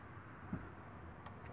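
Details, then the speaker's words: 2003 Lincoln Navigator 5.4L, crank no start, key on engine off, scan tool fuel pump actuation test: two faint sharp clicks about a second apart in a quiet background. The fuel pump relay is switching on command. "it is clicking"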